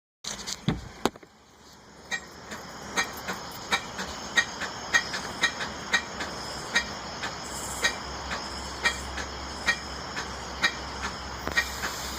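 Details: Suzuki XL-7 that won't start: steady cranking with sharp regular clicks about twice a second that never catch into firing; cranks but no start.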